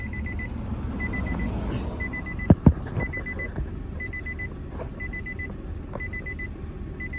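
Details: 2009 Nissan Altima with a no-crank, no-start, blamed on a faulty steering lock that houses the security: steady high-pitched chime repeating about once a second over a low cabin hum, a couple of clunks partway, ignition-on warning.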